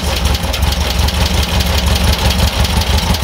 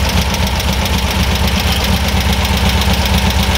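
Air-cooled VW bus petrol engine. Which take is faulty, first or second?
first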